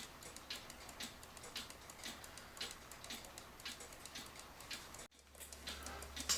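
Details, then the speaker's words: Citizen battery-powered cuckoo clock with slip-clutch pendulum, leveled after stopping when tipped; crisp even tick-tock about twice a second, steady beat, no skips, ticking properly again. "so again I'll show you you want to level your clock on the wall I don't know if you can hear the tick tock or not I can tip it it stops I bring it back over and it's going again"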